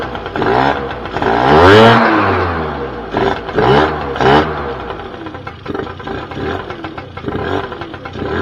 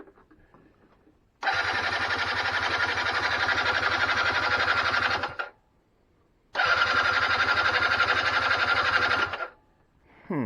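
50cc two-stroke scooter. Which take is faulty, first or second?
second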